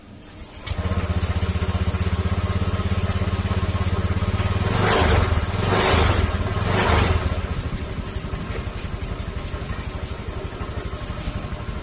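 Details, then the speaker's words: Honda Vario 150 scooter started and idling, with an even putter and a faint steady hiss from the CVT area at idle; the CVT cover is opened next to find the cause. "Saya memiliki Vario 150 di sini yang mengeluhkan suara mendesis di area CVT. Mari kita coba menyalakannya untuk mendengar suaranya."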